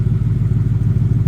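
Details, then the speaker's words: 1971 Ford F100 XLT Ranger Heavy Duty Special with 2017 F150 6R80 transmission, first fire-up after torque converter repair, about 35°F outside: even, low throbbing idle with steady rhythmic beat, no knocks or rattles; normal healthy idle. "Man, everything's sounding great."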